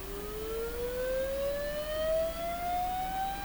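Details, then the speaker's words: Sony TR-712 transistor radio after replacing all electrolytics, diode detector and three small green capacitors, test tone sweeping lower frequencies: tone glides upward with a rough, buzzy edge; distortion remains, possibly different from before. "so there's definitely some distortion in this"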